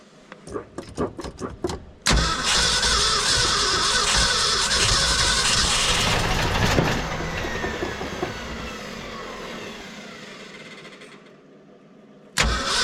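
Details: 1966 Ford F-250 factory 4x4, on a cold snowy day with a slow, dragging starter: it cranks, catches on poured-in fuel and revs raggedly for about ten seconds, then fades and stalls; it runs only on the prime.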